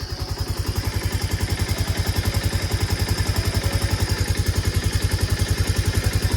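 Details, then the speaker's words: Bajaj Pulsar 220, engine work done under warranty; sharp, very regular knock on every idle beat, about three and a half per second, clear internal knock. "क्या ऐसा है engine से हल्की सी आवाज आ रही है। . इसका मतलब है जैसे कोई दस्तक। यह शोर कर रहा है।"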